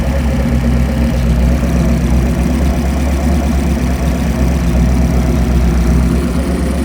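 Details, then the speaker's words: Chevy 383 stroker marine V8 with all-forged steel internals, Comp Cams marine roller cam, AFR heads and Holley Sniper 2 EFI dialed in, timing set, no leaks, bound for a Cobalt 226 boat: steady, deep, even idle rumble with no knocks, misses or surges; normal idle. "Put the AFR heads on there, Holly Sniper, EFI's all dialed in, timing set, no leaks. Ran absolutely perfect."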